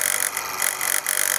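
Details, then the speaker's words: Device's test button pressed after the test-mode loop fault was fixed: steady raspy high-pitched buzz briefly dipping twice from the internal buzzer, which is missing from the schematic; test mode now works. "pushed it the test button and you will hear a buzzing sound and the button sound originates from a butter which is to be found within here"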